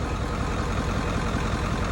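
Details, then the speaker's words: OBS Ford 7.3 Powerstroke diesel, 300k+ miles, after injection pressure regulator (IPR) replacement, started at 62°F with a suspected clogged injector clearing: even, deep clatter at constant pace, no lopes or missed beats; clean idle. "sounds like a clean running diesel I mean we got all the glow in the world but that's okay he all four there PR run loose that sounds awesome"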